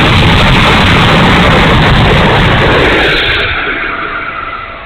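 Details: E-flite A-10 Thunderbolt II RC jet, twin 64mm electric ducted fans winding down over a few seconds: harsh, ragged rushing roar rather than a clean note; motor sounds bad, cause unknown.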